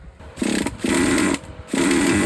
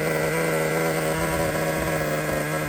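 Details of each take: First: Used Traxxas T-Maxx 2.5 nitro engine, fuel tank confirmed sealed, idle screw at minimum and carburetor fully closed: short fast buzzy bursts whose pitch never settles low; idles too high, owner suspects an air leak. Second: Used Traxxas T-Maxx nitro engine whose low-speed needle was turned about a turn too far in, now backed out: it starts and holds a steady, buzzy idle set slightly high, even without stumbling, running well.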